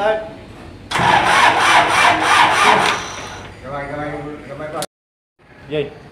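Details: Isuzu diesel generator engine with hard starting problem: roughly three seconds of loud rhythmic cranking, then a weak uneven run that fades out; slow, hard-starting diesel.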